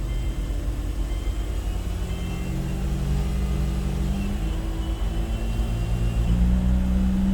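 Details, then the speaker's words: Car in drive on stands at about 40 mph: steady low droning whir from the front end with a faint thin whine, while the whole car wobbles and the axle shaft wobbles visibly; the axle is suspected, not confirmed. "All right, so the wife's got it revved up to about 40. You can hear that noise. The whole car is kind of wobbling."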